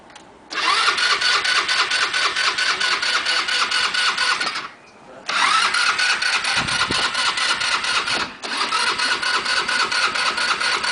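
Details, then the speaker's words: Scooter after five minutes of failed starting attempts, before trying a trick of blowing into the fuel tank: two long stretches of rapid, even starter churning with a pause between, and the engine never catches. Cranks, no start. "you see it just will not start"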